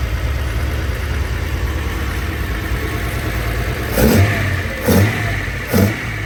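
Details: First run after rebuilding Solex Mikuni Type R carburetors, untuned, carbs left as when removed: steady low idle with three quick throttle blips rising and settling cleanly; normal idle.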